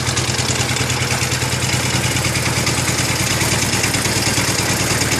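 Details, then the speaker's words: IH Cub Cadet 149 with 14 hp Kohler K321A single: steady idle with busy metallic clatter on every beat, said to come from the PTO clutch; rattling noise. "yeah that's the pto clutch making all that noise in there"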